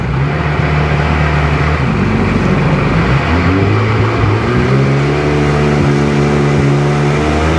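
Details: Sea-Doo GTX DI 951 lake test after new solenoid and hard line installed, idling around 1450 rpm: engine pulls cleanly as revs climb and settle, even firing with no skipping; running way better.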